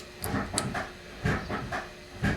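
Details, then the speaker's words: Mercedes W123/W126 300D diesel, brake bleeding at the right rear caliper bleeder: one person pumps and holds the pedal while the valve is cracked. Short irregular hissing spurts of air sputtering out with the fluid. "so what we're going to do is have Gordon pump the brakes, and then I'm going to crack this valve open, and we're going to squirt fluid and air out of here, and we're going to have a lot of air in the fluid, and we'll be able to hear it."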